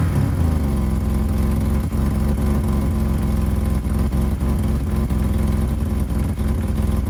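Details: 1985 BMW 535i E28 M30 inline-six cold start at 19°F after sitting a few months: lumpy deep idle with irregular puffing tick from a pre-existing exhaust leak where the headers meet the catalytic converter; a coolant leak was also found.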